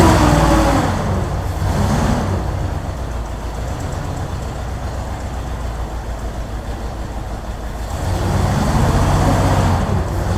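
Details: 1964 Ford Thunderbird V8 after first start: lumpy, uneven idle with irregular stumbles; misfire suspected, possibly from a bad vacuum leak at the carburetor-to-intake spacer gasket, not confirmed; oil pressure a little low.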